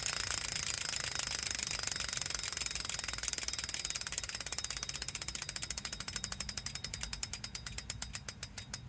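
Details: Wahoo Kickr Core bike trainer: rapid, steady ratcheting ticks that grow sharper over the clip. It is a mechanical clicking noise whose cause is not yet identified.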